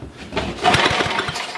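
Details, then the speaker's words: Old Ariens rear-tine tiller small engine under repair: catches and runs a rough, popping second or so, then fades as it runs out of the little fuel in it. "right so I think that's all the fuel that we have for in there and but that's good"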